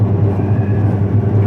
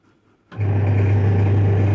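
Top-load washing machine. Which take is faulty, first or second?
second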